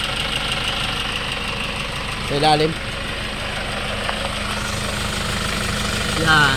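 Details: Hyundai Starex D4CB diesel, replacement engine fitted for blow-by, after road test, no blow-by at breather, no oil leaks, normal temperature: even settled idle, no knock or misfire, brief background bursts; engine runs sound.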